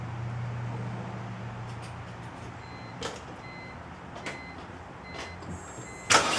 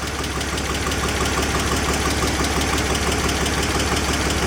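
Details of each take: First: 2004 BMW 325i started after CCV system, coolant hose and oil filter housing gasket replacement: engine idles unevenly with a lumpy, stumbling beat. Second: 2004 BMW 325i after oil leak repairs (CCV system, coolant hoses, oil filter housing gasket), MAF sensor unplugged: revs nice and free with a steady, even idle, no misses; ran rough before, smooth with MAF plugged back in too.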